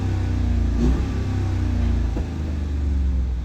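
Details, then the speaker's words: Hemi 5.7 V8: smooth at idle with a zero misfire count, but with a little throttle it gives a deep, uneven rumble with stumbles. Cylinder 6 starts counting misfires; the valve covers are next to be removed for inspection. "Pero usted le da un poquito de gas. Empieza a contar."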